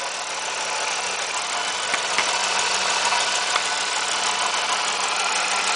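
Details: 1997 Firebird 3.8L V6, microphone down in the engine bay: light, quick ticking over an even idle, about three a second and steady; a top-end tick, cause unknown.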